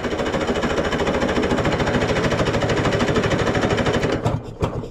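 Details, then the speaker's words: 1970s Wetco Wetbike that sat 25 years, after a coil swap restored spark, carbs off, running on starting fluid with the intake airflow restricted: about four seconds of rapid popping, then it dies and sputters out, not sustaining. "sounds nice little shot of some starting fluid and restrict the airflow in here"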